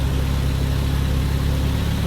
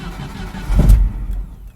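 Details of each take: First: 1988 Jeep Comanche Renix 2.5L I4 after idle speed motor and TPS adjustment: short steady low idle at about 950-1,000 rpm, TPS reading 10, no hunting; normal idle. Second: 1988 Jeep Comanche Renix 2.5L I4 without gas pedal: brief catch and short burst of firing that dies within a second; starts only with a little gas; stalling after start from a seized idle speed motor (throttle stepper motor).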